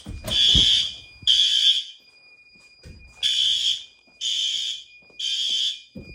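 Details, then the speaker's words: Fire alarm horn during monthly life-safety testing: loud, high-pitched blasts about a second long repeating roughly once a second with short gaps, very high volume; all horns and strobes working, horn sounding normally. "I know they don't like to show up on camera, but very loud, high volume."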